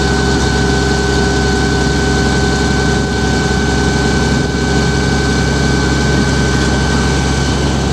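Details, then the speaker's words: Hitachi excavator diesel after sitting about three weeks, cold start: steady fast high idle with constant low drone, no misses or knocks, said to be common on Hitachis. "It idles high, where it starts really, well, they said it's common on Hitachis. I've never had a machine do it, so I'm sure she'll chug out a little smoke."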